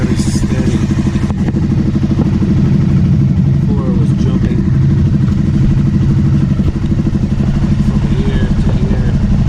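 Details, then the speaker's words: 2009 Aprilia Shiver SL750 after replacing both airbox air pressure sensors: steady, even low thump at idle with no hunting. Previously the idle jumped up and down after about a minute, no error messages. Evap and tank air hose ruled out. "Steady. So it wasn't the evap, it wasn't the air hose to the tank. Must have been one of the air pressure sensors."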